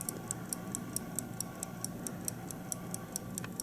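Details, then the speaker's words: 1950 Buick Roadmaster New Haven dash clock removed for cleaning and oiling: crisp, light, evenly spaced ticks about four to five a second; the balance wheel runs normally, ticking like a pocket watch. "apparently the clock isn't so badly out of lubrication as you can hear it and see it right there that uh balance wheel is doing what it should do just like on a pocket watch or any watch it's ticking along there doing as best as it can"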